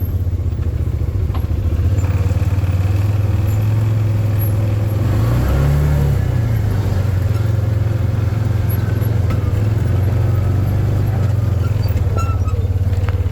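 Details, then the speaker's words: 2013 Arctic Cat Wildcat 1000 V-twin side-by-side on its first drive after revival; deep, even rumble with no knocks, misses or rattles, now idling normally after an earlier high idle the owner suspects was air in the fuel system. Normal running. "I'm going to do the first actual Drive wish me luck here it run so good now it never idled up like this ever again so I'm pretty sure there was just some air in the fuel system"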